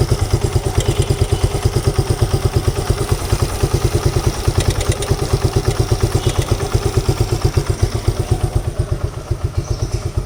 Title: Gixxer timing chain noise